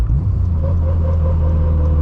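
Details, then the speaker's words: 600 hp built turbo Honda Civic Si with 4.3 final drive, driving with downshifts: deep engine rumble with faint steady straight-cut gear whine above it; normal straight-cut gearbox sound. "Oof, that straight cut gear though."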